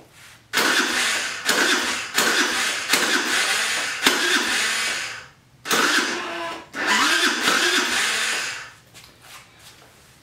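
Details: Jin Lun 50cc scooter after carburetor cleaning and new throttle, battery getting low: several short whirring starter bursts that sag and slow without catching; air cleaner found wet, flooding suspected.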